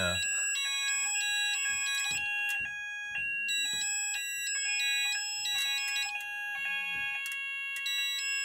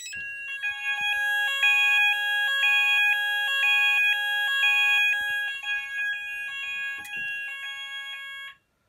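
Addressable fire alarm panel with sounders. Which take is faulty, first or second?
second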